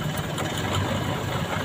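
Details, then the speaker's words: Four-cylinder engine at idle with all four spark plug wires connected, during a plug-by-plug vibration check: steady low rumble with an even, smooth rhythm and no dropouts; normal idle. "nah ini tadi normal seperti ini"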